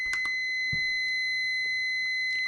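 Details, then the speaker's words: Multimeter continuity beep-test for automotive blade fuses: a continuous high beep at about 10 ohms (test leads read 4.2 ohms, display about 14-16). This meter's beep threshold is roughly 50 ohms at 9 volts. "So, plus or minus roughly 50 ohms is the beep threshold of this meter. So, if you're testing a fuse with this meter and it beeps, it just means that fuse is less than 50 ohms at 9 volts."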